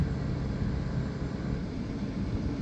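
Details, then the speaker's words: 2010 Kia during brake line replacement with the master cylinder dry: ABS module actuated from a scan tool, with all NC valves and the pump motor running; steady low even hum, no grinding. "Now all NC valves and pump motor actuating depress the brake pedal to the floor. Release the brake pedal when the pump motor activation stops."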